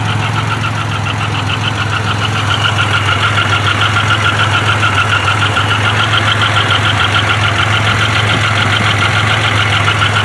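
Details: Grand Am with swapped 3800 supercharged engine, idling with exhaust leaks: steady idle with sharp even tapping about three or four beats a second; owner unsure whether rod knock, lifter or loose rocker, not confirmed.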